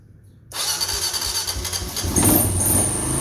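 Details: 1988 Kawasaki KLR650 single, first start after about five years stored in a shed, fuse replaced and spark confirmed; silence, then a quick catch and it fires into a rough, rising idle that settles steadily; starts and runs fine.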